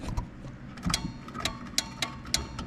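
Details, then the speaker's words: Craftsman riding mower with Kohler Command 16.5 hp engine, engine turns over by hand with good compression, 20 amp fuse good; relay clicking about every half second with no cranking, suspected dead solenoid or faulty clutch safety switch. "I can hear one of them clicking. And then we've got there's a safety switch under here for the the blade on and off. So, pretty much the only other thing would either be a dead selenoid or we have it's the safety switch for the the clutch is maybe not working, which that's down in here underneath that solenoid."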